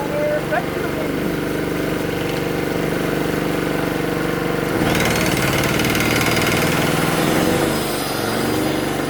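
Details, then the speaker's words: Free generator engine that sat unused for a long time, tank drained: at no load it surges, hunting up and down in speed; runs fine under load; carburettor suspected to still need cleaning. "So, as you can hear, it does uh surge a bit when when it's not under load. Uh I guess that means the carburetor still needs a bit of a clean."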